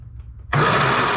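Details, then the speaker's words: Lawn mower that won't start: pull-start cranks the engine but it whirs down without firing; good spark confirmed, and it started briefly with fuel sprayed into the cylinder, so fuel starvation. "because the engine started when we added fuel to the cylinders we can conclude that there is"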